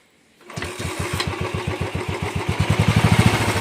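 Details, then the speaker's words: 2010 Royal Enfield Bullet Electra unused two years, restarted: single-cylinder thumps unevenly around 200 beats a minute, lumpy and stumbling, revs slightly then dies; misfire and stalling. "വാഹനം വന്നിട്ടും raise ആവുന്നില്ല, missing പോലെ കാണിക്കുകയാണ്. ഒരു ശകല raise ആയിട്ട് അങ്ങ് വണ്ടി നിൽക്കുകയാണ്."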